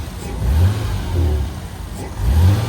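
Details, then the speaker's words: Abandoned, wrecked Toyota Supra Turbo that had been sitting: three clean throttle blips rising and falling smoothly with no miss or knock, no smoke; normal revving, minor noises suspected from rusty belts and fan. "Okay. Well, it runs good. I hear some noises, but I think it's just the rust from the belts and the fan moving around. But I think we're okay, dude. It sounds quiet. Sounds good."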